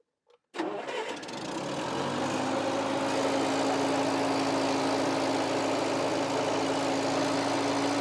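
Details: Bobcat 610 skid steer, run hard and neglected, first start after reinstalling a part and refilling the entire system; brief crank, fires at once and settles into an even, steady idle with no misses, knocks or leaks; normal start and idle.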